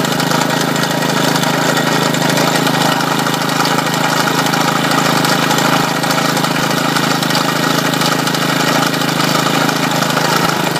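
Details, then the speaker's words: Lawn mower engine driving a GM 3-wire alternator as a 12 V generator, charging a battery at about 14 volts: steady, even drone holding constant speed under the charging load; sounds healthy. "as you can see it's generating 14 to have folks that battery is getting charged"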